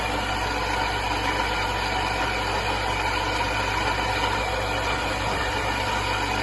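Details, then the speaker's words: Sunbeam Alpine Fastback in for recommissioning, last run about five years ago, running on old petrol. A steady idle carries a constant whirring hum over the engine: a very noisy water pump. "yeah very noisy water P still I'll keep this going drain the tank"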